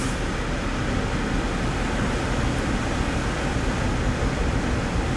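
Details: Vehicle front blower motor (fuse R13) running on high, intermittent fault, relay suspected: steady, even rush of air with low hum, no cutting out or chatter; working normally today so no voltage checks done.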